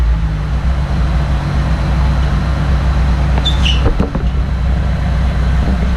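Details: Datsun rally car with the muffler being removed, engine held up: loud, raspy low rumble with a harsh blatty edge from the rear; exhaust leaking out back, with a separate ticking in the engine bay.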